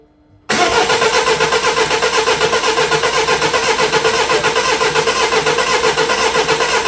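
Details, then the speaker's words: 2008 Mini Clubman R55 1.6 diesel (W40D16) parked two years: starter cranks steadily at about four pulses a second, never catches; no fuel rail pressure, no leak-back to tank, high-pressure pump not delivering. "it's not leaking back it's not leaking back and we still have no pressure"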